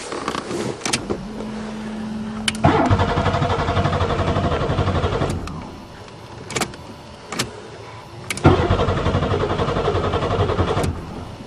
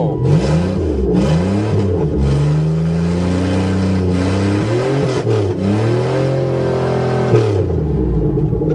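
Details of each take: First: Buick Regal tried in spring after sitting over winter, fresh battery installed: two long bursts of even starter churning with steady compression rhythm, engine never catches; crank, no start, owner suspects no spark. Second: Buick Regal after repair, corrosion scraped from a plate to restore the ground connection: engine catches cleanly, revs rise and fall smoothly and settle to an even idle; normal start and rev.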